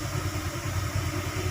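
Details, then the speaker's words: Motorcycle idles at about 2000 rpm and won't drop, when idle should be 1500-1600; quick, even idle pulses hold steady without settling; MIL lamp on, no fault codes read; high idle speed. "Oke kita Nyalakan motor Oke rpm nya 2000 kok gede kok nggak turun"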